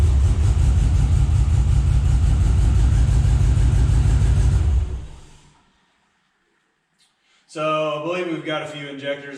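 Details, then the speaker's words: Scout 80 with junkyard LQ4 6.0 V8 swap, first start after sitting: lumpy idle stumbling about three times a second before shutting off, a few cylinders not coming in; owner believes injectors are sticking and will identify which. "i'm gonna actually go through this thing and see what we've got going on see if i can uh identify which exact ones are sticking we've definitely got a few cylinders that that aren't coming in"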